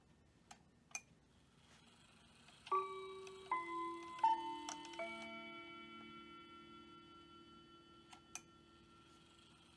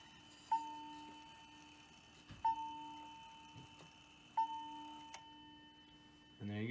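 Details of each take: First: Hamilton bracket mantel clock from an estate sale; the movement doesn't run but the chimes work. Quarter-past chime is heard as clear, clean bell tones in an even sequence, a normal chime train. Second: Hamilton bracket mantel clock from an estate sale (movement doesn't run, chimes work), five o'clock hour strike: three soft, thin bell strokes about two seconds apart with little punch, because the strike hammer doesn't slam down hard enough.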